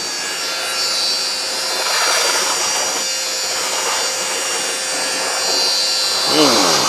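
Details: Worn wet vac mopping up spilled coolant in a workshop: high, steady howl with some slurping and shifting while still pulling; howling motor that keeps running.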